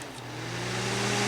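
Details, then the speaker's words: 1997 green Duracraft DT-7 Series Turbo Fan with an unbranded motor, switched to high speed: a loud, steady rush of air over an even motor hum that settles at speed. Noisy but moving a lot of air, no rattles; normal high-speed operation. "which is pretty noisy, but it's pushing out a lot of air. It's not noisy for nothing."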